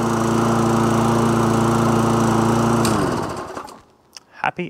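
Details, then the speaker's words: Webb Briggs & Stratton lawn mower that had been running rough, after carburettor gasket/diaphragm and jet attention and plug swap: steady, even drone with no misses; running normally. "so yeah that sounds better yeah that's all good everything works as it should do awesome"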